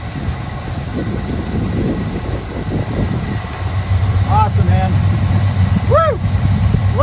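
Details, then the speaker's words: 1985 GM square body truck, sat at least 10 years, first start on carb-poured fuel: deep, steady low rumble, even beat, no lifter ticking; normal idle. "listen to that thing wow it wasn't a lifter kick nothing nothing okay let's hook up the fuel supply yes okay go for it sounds good"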